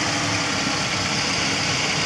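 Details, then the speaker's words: Long-stored carbureted engine after overhauling a stuck, dirty carburetor, fed petrol from a 1.5-liter bottle: short stretch of even, steady idle just after starting, no misfires or tapping; sounds healthy. "One click. Ganda ng minor."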